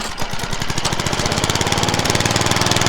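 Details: Craftsman mower, first start after deck swap: quick steady pops settling into an even beat once it catches; running normally.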